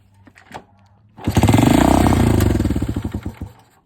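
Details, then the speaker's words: Honda CT90 Trail 90 with no-spark complaint, fuel poured into the cylinder and another battery connected: a few pops, then starts on one kick and chugs evenly for two seconds; fault was electrical. "Well, she fired. So I know now that all along it was a electrical issue. Yeah, she popped a few times. She starts now."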